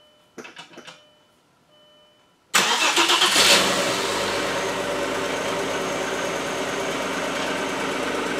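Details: 1997 Audi A4 Quattro 2.8 V6 after new timing belt and water pump; brief cranking, catches and settles into smooth even idle with no ticking or rattling. Normal start and idle.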